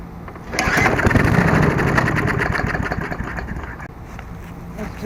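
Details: Murray 22-inch Sprint 3.75 hp mower, after replacing seized stop cable: pull-start spins engine with quick ticking churn about four beats a second, fades without catching; no-start, air filter suspected next.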